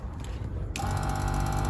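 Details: Seaflo 22 series 5 lpm 100 psi auto-switching pump with 54-litre underslung tank in Ford Transit Custom camper, after replacing blown 15 A fuse: silence, then steady buzzing hum with fast even pulsing; running normally.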